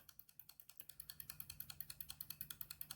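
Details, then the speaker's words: Homemade ABS bleeder for a 1996 Land Rover Discovery: oscillator driving a flip-flop relay switch at 0.1 s on, 0.1 s off (50% duty cycle), light as test load: crisp even relay clicks with steady timing; switching normally. "uh every 0.1 seconds for 0.1 uh seconds on 0.1 seconds off so it's a what we call a 50% duty cycle and it should do it uh 9900 29 times in a row"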